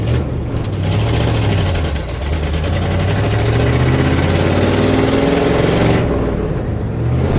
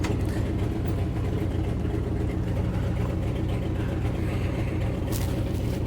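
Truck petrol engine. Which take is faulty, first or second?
first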